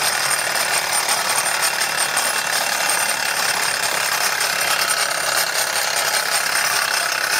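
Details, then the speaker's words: Wilesco D415 steam tractor kit on its first live steam run: harsh, rapid high-pitched metallic buzzing rattle, steady throughout; owner suspects the drive wheel. "I think that sort of vibration noise I think he's the the drive wheel here I think that's what's I think that's sort of rattling that seems to be making that noise"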